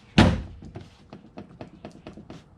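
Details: 2017 Honda Pioneer 1000-5 UTV rear door after fitting replacement door bushings: one firm thunk as the door shuts, then a few light taps; latch closes tight with no loose rattle, slight lateral play remains adjustable.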